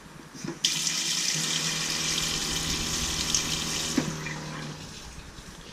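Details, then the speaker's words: Sprinter van DIY water tank system with pressure tank: pump hums steadily under rushing tap water, turning on as pressure drops when the tap opens and shutting off by itself when closed. Normal pump running. "So as soon as you turn it on, it loses pressure, so it turns on. Then you just, once you close it, it shuts off by itself. It's automatic."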